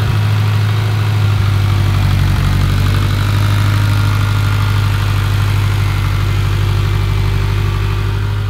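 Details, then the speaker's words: Mitsubishi Evo X with a freshly rebuilt engine, first started after about five tries by holding the gas pedal to the floor. A deep, steady idle with an even low rumble and no knocks or ticks; healthy during break-in. "hell yeah boys we finally finally finally got it running"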